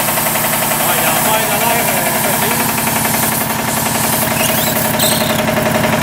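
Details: 40-year-old 25hp American Kellogg 462 air compressor before overhaul: a heavy, regular knock at about four beats a second over the compressor's thump, rod knock on 3 of 4 connecting rod bearings.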